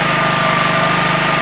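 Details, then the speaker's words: Champion 4,375/3,500 W generator after thorough carburetor cleaning, running on used motor oil: small single-cylinder engine holding a steady, even drone with constant buzz, no misses or knocks; runs smooth. "That's running relatively good."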